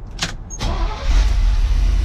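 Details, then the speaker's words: 1988 Chevy C30 wrecker after a throttle body rebuild kit (ACDelco 219-607), throttle body cleaning, new line O-rings and a new belt; a brief crank catches quickly into a deep, steady rumble, clean start and normal idle after repair. "sounds way better"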